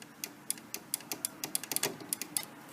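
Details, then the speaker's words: 1989 Macintosh Portable after refurbishment, replacement micro switch and 9-volt battery connector fitted: crisp even clicks about five a second, clean and sharp; micro switch clicking normally. "so there's a replacement 9-volt battery connector and in there is a replacement micro switch so that's what you can hear it clicking"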